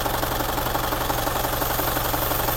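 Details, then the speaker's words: Isuzu Panther diesel with idle rpm rising and falling and severe vibration at part throttle: uneven, shaky clatter with a rough, lumpy beat. Suspected low nozzle opening pressure or delivery valve fault. "kita akan tes untuk nozzle kemungkinan masih analisa saya sih mungkin ada pressurenya rendah atau nanti kita akan cek juga untuk delivery valvenya Apakah memang ada yang bermasalah atau tidak"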